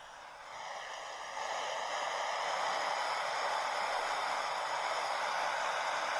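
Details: Portable radio receiver with no antenna fitted, switched on: a steady, even hiss with no station coming through; the repairer suspects a broken wire inside.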